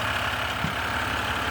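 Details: Ram 1500 with the 'Service DEF System – Engine will not restart' warning, started after shorting two terminals with a plastic-handled tool. Even, settled diesel idle with a smooth low rumble and no misses or knocks.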